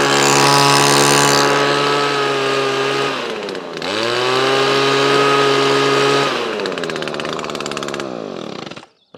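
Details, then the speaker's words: Owner's own two-stroke blower with new carburetor, stored since last year on Aspen fuel: strong steady high-pitched whine that dips, recovers cleanly and spins back up evenly; lasted the winter with no issues. "super happy with that so that one lasted the winter the winter season no issues but Aspen feels pretty good"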